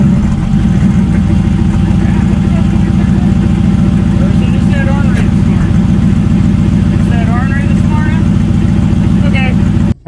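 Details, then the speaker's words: Ford Town Car 4.6 two-valve boosted (over 20 psi) at idle after a track outing: steady idle with an occasional stumbling beat, a slight random misfire; owner suspects spark plug gaps too tight, unconfirmed. "kind of sounds like it has a little bit of a random misfire now"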